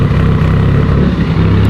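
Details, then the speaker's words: Evo 8 built for 800whp after a new fuel system (Radium hanger, lines and filter, FIC 2150 injectors replacing 1650s): loud, steady low idle holding an even beat with no misses, ticks or hunting; startup and idle clean. "We are all good to go with startup and idle."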